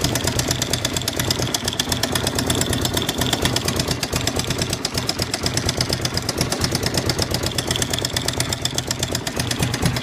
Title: Suzuki dr 750 knocking sound